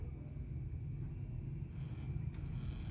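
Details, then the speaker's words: Sony CFS-1110S cassette player after repair with new belt, rubber wheel and motor control board: steady low even buzz of the tape motor spinning fast and strong, no dropouts or labouring; running healthy. "Kêu rè rè ngay. Đấy, nó phải quay khỏe như thế mà."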